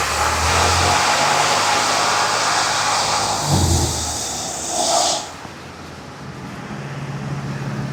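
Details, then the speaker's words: Ram 1500 4x4 3.6 with transmission limp mode history, low oil pressure, revved in drive: engine climbs and holds with a hissy, whooshing roar, then drops to idle; an odd engine noise of unknown source rides along. "There's a weird noise in the engine too. I'm going to see if I can source where that noise is coming from."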